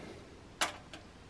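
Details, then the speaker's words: Kenwood VR-505 A/V surround receiver (2001) switched on during current test at 122 V: one sharp click then a softer one, power relay switching normally; display lights, about half an amp drawn, FM static heard. "i heard relay click that's always a good sign seeing a display hearing what sounds like am static half an amp that sounds good"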